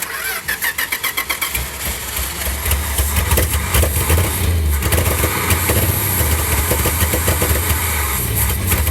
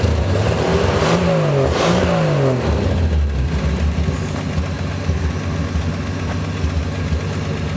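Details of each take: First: Field-find car that did not run, carburetor engine: cranks, catches, then a lumpy, uneven idle with irregular stumbles and no popping back through the carb. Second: Field-find car after replacing a carbon-tracked distributor cap: two quick, clean revs, then a steady, even idle with no miss or popping; normal idle and revving.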